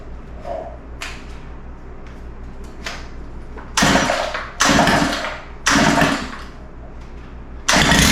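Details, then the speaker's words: Stihl FS91R four-stroke line trimmer that previously wouldn't throttle up: it idles, then snaps up cleanly in quick rev bursts. It throttles up now, but the idle is still too rich and needs adjustment. "oh all right well it's sounding pretty good but uh I think it needs a little adjustment"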